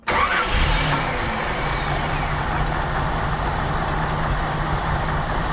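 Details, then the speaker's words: 1988 Jeep Wrangler YJ Sahara 4.2 inline-six after carb swap: starts at once and settles into steady, even idle, no stumble or hunting; much better than before, about 18 inHg idle vacuum. "a lot better than it was yeah we got good vacuum we're all the way over here guys and gals at about the uh 18 Mark pretty decent for this old girl"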